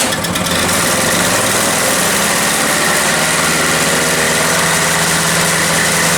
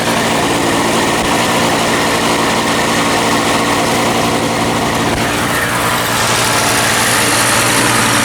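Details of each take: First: Toro CCR 3000 GTS 5 hp two-stroke snow blower with a replacement aftermarket carburetor kit fitted: high, steady scream near 5,500 rpm on a tachometer that never drops to idle, throttle uncontrollable. Overrevving; the finding names the wrong carburetor. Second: Toro CCR 3000 GTS snow blower after replacing wrong carburetor with correct one and setting governor, tachometer attached: steady even two-stroke drone settling cleanly around 3,500 rpm with no hunting or misses; running as it should.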